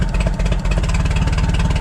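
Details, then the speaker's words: Propane forklift engine after replacing the bad spark plug: even, steady low thrum with no skipped beats, firing on all cylinders; misfire fixed, runs great. "There we go, boys. The miss is fixed. There's a bad plug. All right. Well, that's exciting. Seems to run great now."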